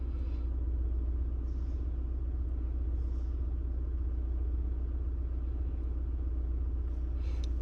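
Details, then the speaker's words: VW Golf Mk6 1.6 TDI (CAYC) with 0AM 7-speed DSG. Engine idling, foot on the brake, handbrake on, during basic-settings calibration. Steady diesel idle with faint brief clicks and whirs from the gearbox. Normal dual-clutch adaptation noises. "Now we just wait with the foot on the brake. You will hear noises and bits and"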